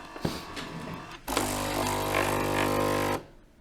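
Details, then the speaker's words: Philips LatteGo espresso machine (probably 5400 series), brewing a 120 ml Americano after fixing error 11 and three blinking LEDs by replacing the temperature sensor: after a few clicks an even pump hum starts, then stops cleanly, a normal brew. "Listen, the coffee is brewing. As for its quality, all the adjustments are required and so on."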